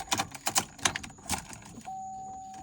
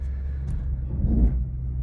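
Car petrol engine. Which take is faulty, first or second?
second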